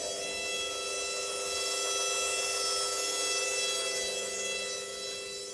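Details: Indesit IWDE126 washer dryer motor now spinning where it wasn't before, no warning lights. Steady high motor whine with even tones, spins freely, a bit noisy but working; normal spin.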